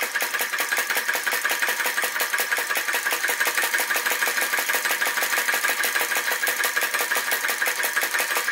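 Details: Flame Licker Flame Gulper VE-01 crossbeam vacuum engine with added drive pulley, wick pulled out for more flame and finely adjusted, driving a DIY Baker fan: quick even ticking, working hard but running smoothly; normal running.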